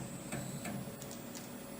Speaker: Now I'm going to use the jogger, just move it one step at a time. You can hear it clicking. Each one of those steps is 1/2 thousandths.